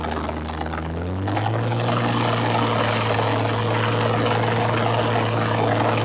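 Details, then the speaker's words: 1967 Ford Anglia 105E with Mitsubishi 6A13TT twin-turbo V6, on axle stands after coilpack connector repair: steady idle with light regular tapping about four a second from the front, loudest at passenger-side timing belt cover; cause unconfirmed. "and there is definitely a knot coming from the front as well"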